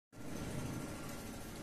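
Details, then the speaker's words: Vehicle driving after fitting oversized brake caliper pins: steady low rumble with no clunks, rattles or shudder; caliper vibration and noise gone. "vibration at all. There is no vibration. After changing the oversized caliper bolts."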